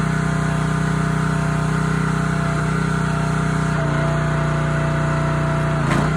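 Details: Honda GX160 on a SplitFire wood splitter after carb cleaning and oil change for bogging and stalling when splitting, test-splitting: steady governed drone dips slightly in pitch as load comes on, then holds firm with no surging; runs healthy.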